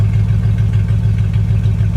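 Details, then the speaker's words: Jeep Grand Wagoneer V8 idling during alternator replacement and oil change: deep, steady, even boat-like burble with no misses, knocks or whine; healthy smooth idle. "This thing sounds like a freaking boat."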